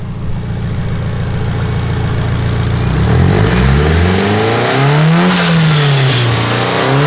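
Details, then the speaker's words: Engine-swapped car, NASCAR swap with dual-cam cluster, first run up to operating temperature: even idle, then clean rises and falls in engine pitch as it is revved, no knocks or misses; engine sounds healthy. "awesome now that sounds really good engine sounds nice and healthy so I think it's basically ready to go for a ride"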